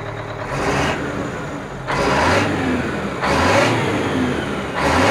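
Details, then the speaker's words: Aerodyne cabover truck, run after sitting 27 years, two different exhaust stacks: four clean rev blips rising and falling smoothly with no knocks or rattles, exhaust looks straight and it runs good; healthy diesel revving. "the exhaust looks pretty straight it's got two different stacks so they're not they're not perfect but uh but it looks good runs good"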